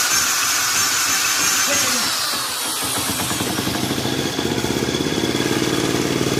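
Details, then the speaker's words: 1971 Honda Trail CT70 barn find, first run after restoring spark with a kill-switch ground issue: a few small coughs, then a quick, even putter of about four beats a second, running sweetly and quietly. "Oh, isn't that as sweet as it can be? Sweet as it can be."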